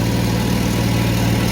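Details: 1991 Mercedes 190E at idle during exhaust repair, steady low idle with coarse puffing rumble; exhaust leaking at the unsecured rear muffler section, front joints now sealed.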